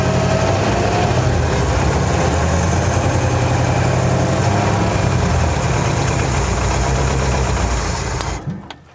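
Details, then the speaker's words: 1957 Chevy Bel Air that had sat since 1985: long, even cranking that never catches. The fuel pump isn't delivering and the carburettor is dry; a hung float was considered. Cranks but no start from no fuel. "don't think it's pumping yet is it i don't think so"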